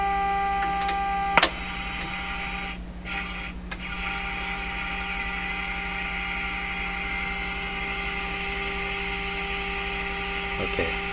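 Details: Electrohome Cosmic tube radio with distortion, weak output and poor AVC, tuned near 5 and fed from a signal generator, heard through the radio speaker: a constant low mains hum with steady tones over thin, faint programme; hum with weak, distorted audio.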